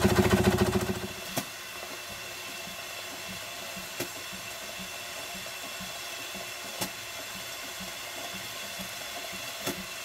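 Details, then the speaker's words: Single-cylinder showman's traction engine near its full working pressure of 110 psi; a soft steady beat with sharp pops and a faint hiss as the safety valve starts to blow off excess pressure, normal. "this is the engine at almost full working pressure which is 110 pounds per square inch the popping that you can hear is made by the safety valve as it starts to blow off the excess pressure"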